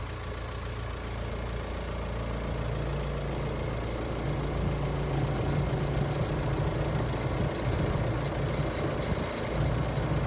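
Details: 2005 VW Transporter T5 1.9 TDI: steady diesel idle with an out-of-place low droning hum; failing power steering pump, needing a new pump and original green hydraulic fluid.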